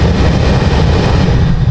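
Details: HVAC blower motor jumpered straight to power with no fuse, installed in its box pushing air: strong, steady low whooshing roar, even with no surging or rattles; running normally at full speed.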